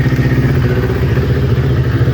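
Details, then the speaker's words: Kawasaki Ninja twin, recently rebuilt, warm idle: uneven, slightly lumpy beat with stumbles; bogs as it warms, right-hand (off-side) cylinder shows a 15–20 °C difference, one cylinder dropping out on a weak ignition coil pack. "I don't know if you saw that, but the right hand side cylinder is slowly starting to get a 15 to 20 degrees Celsius difference, and our problem is going to be on the right hand side cylinder."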